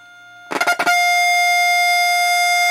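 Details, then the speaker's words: Heathkit T3 signal tracer probing a tube stage during repair: a strong, clean, steady tone comes through loud and clear, clearly different from the other points; the tube amplifies properly. "i don't know how many times this tube is working properly this is what i was talking about you can hear the difference very easily"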